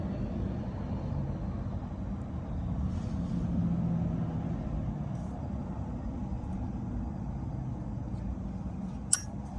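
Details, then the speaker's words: Vissani HVBC31ST beverage cooler that is not cooling: a low steady hum, then one sharp click with no motor pickup when plugged in; the compressor gets power but won't start, either a faulty start device or a bad compressor. "he that all right so we're going to dig into this this is either a start device or a bad compressor that clicking tells you you're getting power of some sort going to the compressor"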